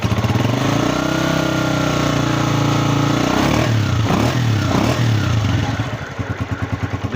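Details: 2025 Honda CG125 at 5,483 km after replacing a faulty cam gear that caused a crying engine noise: the single revs up and settles to an even idle with no rattle or clatter from the top end, sounding healthy.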